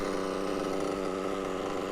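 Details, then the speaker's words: Mugen MBX6T nitro truggy. Steady, even, high-pitched buzz with no misses or sag, a clean crisp tone. Normal running. "If that's not a beauty, I don't know what is. That is absolutely perfect."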